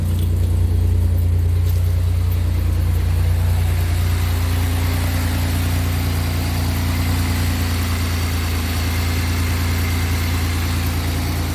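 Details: 2007 Pontiac Grand Prix GT just after an oil change with Mobil 1 and a new oil filter: fires right up into a smooth, even low idle with a steady beat and no ticking or misses; running right.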